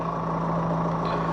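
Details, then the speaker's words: 2010 Jeep JK Wrangler CRD diesel idling with the Ultimate9 EVC124AN throttle controller installed but switched off: steady, even idle with a constant low hum and no misses, knocks or surging; healthy idle. "and you can probably just hear the engine idling nice there."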